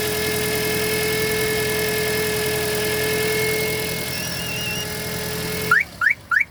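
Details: Toyota Auris with a steady mid-pitched hum from the alternator area under the hood, riding over the engine and stopping dead when the alternator is cut out; the cause was the alternator's diode bridge, fixed by rebuilding the Denso alternator with a new bearing.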